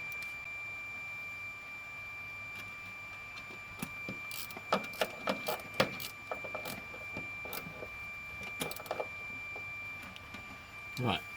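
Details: ZK Ford Fairlane repowered with a V8/C4, neutral start switch adjusted on the refurbished shifter, meter on continuity: a steady high beep throughout over light clicks and handling noise, so the switch closes in Park.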